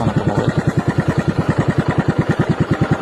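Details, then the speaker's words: TVS XL100 moped idling: steady, quick pulsing beat with rough mechanical clatter riding on it; very noisy worn timing chain. "आज हमारे पास एक्सl 100 आई है इसकी sound इतना बिगड़ा हुआ है टाइमिंग बहुत ज्यादा साउंड साउंड बहुत ज्यादा आवाज आ रही है आवाज आ रही है"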